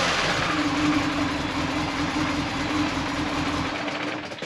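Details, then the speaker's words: Manual Mini Cooper (supercharged) after reassembly with new water pump, oil filter and cooler lines; uneven chuffing idle, irregular pulses, misfiring; erasing codes didn't help, owner suspects throttle body needs cleaning, unconfirmed. "Definitely sounds like it's misfiring."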